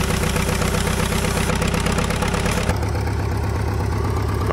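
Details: Caterpillar dozer diesel, parked since 1992, after a stubborn start: big diesel thumps along at slow steady idle, no misses or knocks; normal healthy idle.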